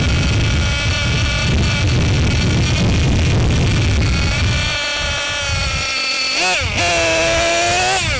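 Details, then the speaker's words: Losi LST XXL2 RC truck, Dynamite .31 cu in gasoline two-stroke, pre-break-in needle tuning: idles rough and sags, then crackles back up to a higher whine; idle drops as the bottom low-speed needle goes in; climate or elevation can shift idle. "So as you can see, when I reach in the bottom needle, the idle drop. So if you go and start your break-in process and you notice the idle on your truck, it might just be because your climate changes or your elevation."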